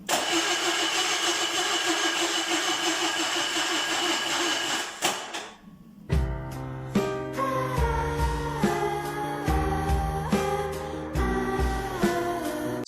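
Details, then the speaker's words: Zaporozhets with a cheap used junkyard engine, first startup attempt, new distributor fitted: starter spins the engine evenly for about five seconds without a catch; no spark because the distributor cap's centre contact was missing, fixed by swapping the cap. "no spark Now what turns out the Center contact in the distributor cap was missing"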